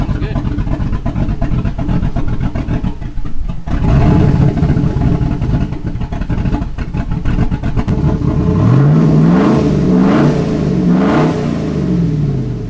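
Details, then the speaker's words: 2006 Chevrolet Silverado SS clone V8 just fitted with Mad Max cam kit, dual valve springs and 3200 stall converter, before tune and exhaust: lopey uneven cammed idle with quick clean revs rising and falling; normal, idle to be perfected by tune. "damn it boy sounds good once we get the exhaust on there the Caps off and we get a tuned so it idles perfectly we're gonna be able to hear that chop"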